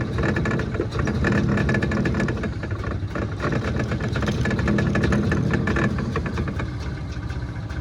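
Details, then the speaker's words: Gas golf cart at consignment auction, starting attempt: uneven stumbling putter that surges and sags, never settling; engine struggles to keep running, possibly flooded. "now let's see if it does its thing come on oh I might have just flooded it"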